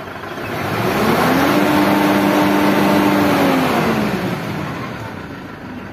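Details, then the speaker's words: Old Mitsubishi Triton diesel with rough running, white smoke and low power: revs climb, hold flat at about 3000 rpm, then drop, in neutral and in first gear; limited by stored U11 manual-transmission-not-equipped fault code. "Coba kita masukin giginya mentok 3.000 kan biasanya karena Netral ya toh"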